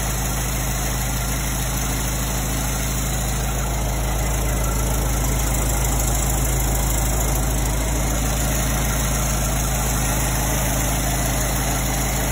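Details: 1924 Ford Model T, first start after 22+ years, powertrain reinstalled during restoration; low, even idle with a steady chug of about three beats a second, no knocking or misses: normal idle.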